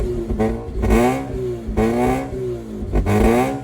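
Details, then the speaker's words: 2004 Mazda RX-8 rotary track car, first start after sitting a long time, new battery, starting-fluid boost, very hot day, makeshift intake: idle surges and sags with each throttle blip and won't hold, wanting to die. "It will not idle. It wants to die if I let it go slightly."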